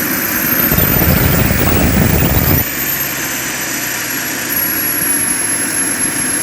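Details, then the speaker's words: JetCentral turboprop turbine on its first test start, with a temporary wrong-size propeller: a roaring rush settles into a steady high whine holding pitch, no surging or rattles; it runs healthily. "that's the way I like it some guys don't like it that way but I like it so it starts it runs I'm very happy"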